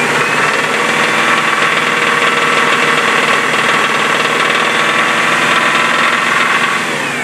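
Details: 1998 Subaru Legacy 2.5 DOHC, previously rebuilt engine repaired again: loud, busy mechanical clatter riding steadily over the running engine, no clean single knock; abnormal noise, source not pinned down.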